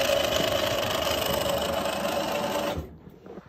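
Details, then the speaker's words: Taco 007 circulator feeding an indirect water heater on a gas-fired steam boiler: a loud, rough grinding whir with a steady pitched tone, from a pump clogged with sludge. The customer reported banging. Circulator pump grinding. "circle is making a ton of noise is this a steam boiler"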